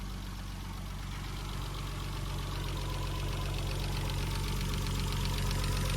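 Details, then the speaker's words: VW R32 VR engine at first idle after sitting outside a long time: light, even tick about four per second over a steady low idle; likely valvetrain, owner suspects oil hasn't reached the top yet, cause unconfirmed. "Whew. Feels like that is a ticking noise for sure. Maybe the oil just needs to get up there."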